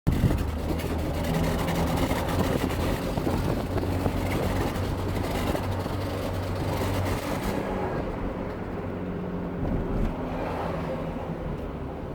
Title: Vauxhall Zafira B 2008 misfire